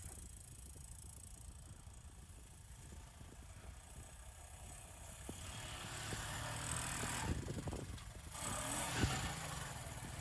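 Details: 1984 Honda ATC 200M single-cylinder three-wheeler, barn find stored 30 years, running after parts replacement and repairs. Steady thump picking up smoothly with throttle, no knocks or misses; runs like a charm, normal running.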